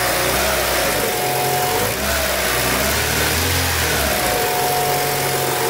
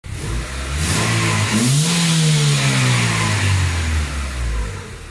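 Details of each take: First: 2003 Honda Civic idling: a steady hiss with a thin whistle over it, likened to radio-frequency noise. Vacuum leak from a punctured brake booster diaphragm; the timing belt is also noisy, more so when hot. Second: 2003 Honda Civic (G7) after a major overhaul with head gasket, clutch, brakes and mounts done: engine revs up cleanly from idle and settles back, smooth even pitch rise and fall with no knocks, ticks or misfires; normal.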